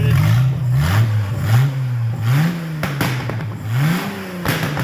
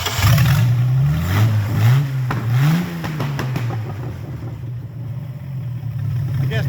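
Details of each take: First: 1996 Mercruiser 4.3 crank kit on bench test, electric fuel pump drawing from gas can, Mercruiser electronic ignition, cold day with steam in exhaust: engine catches and revs cleanly in repeated smooth blips without knocks; healthy normal running. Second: 1996 MerCruiser 4.3 GM V6 with rebuilt short block and crank kit, on a bench test run; restarted after it died (owner wondered if hot or out of gas): low, uneven revs rising and falling, settling unsteadily; carburetor trash suspected, not confirmed.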